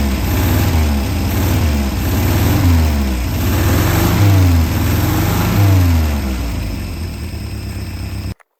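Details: Peugeot 403 pickup, running after restart: engine keeps running, revs swinging up and down over a steady low beat; sounds alive and healthy.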